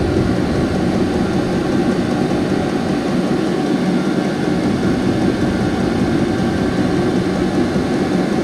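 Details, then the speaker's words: Vevor 5kW 12V all-in-one diesel air heater at level 1 just after startup: winding up to a constant jet-like roar with no pulsing or sputter; ignited and burning cleanly, normal running. "it's winding [Music] up sounds like a jet engine fixing take off oh yeah it's lit"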